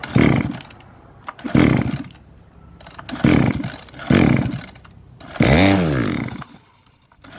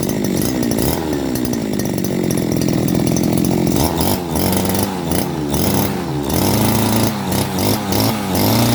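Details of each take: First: Model 411 two-stroke brush cutter: revs rise and drop on their own in repeated surges about every 1.5 seconds; two bolts holding the carburetor to the reed came loose, the carb flange no longer seals, fuel draw is insufficient; reed replacement needed. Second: Type 411 two-stroke grass trimmer that was hard to start and surged, after a carb clean and a replaced reed valve: steady buzzing between blips with no stumbling or surging, a clean, stable idle.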